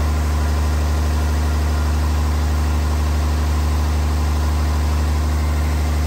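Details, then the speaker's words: Freshly installed 1500hp Cummins diesel, run without coolant before hot re-torque, good oil pressure, about 30 at hot idle: deep even idle rumble holding steady, no knocks, misses or rattles. Normal hot idle. "and there's our hot idol it's about 30 right now"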